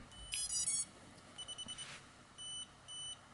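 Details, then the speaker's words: SPC Maker 95EP one-cell brushless FPV drone: at battery plug-in repeating high beeps, a burst of short chirps then paired longer tones; flight controller dead, not recognized as COM port by computer. "hear that sequence there and I plug it into the computer and it's not recognizing a comport so the flight controllers died"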